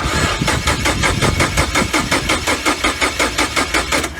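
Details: 2012 Mini Cooper Countryman 1.6L four-cylinder, no check engine light or codes: even starter cranking at about four to five beats a second that never catches; ignition coil shows no kV spikes, no spark, traced to a failing relay; battery down to 11.4 V.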